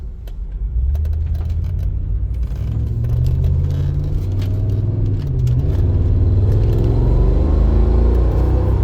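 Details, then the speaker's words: 2007 Mercedes G55 AMG G-Wagon, pre-purchase inspection drive: the engine note climbs smoothly and drops cleanly at each upshift with no flare or thump; the automatic shifts normally through all gears. "All right. Shifts through all the gears. Nice."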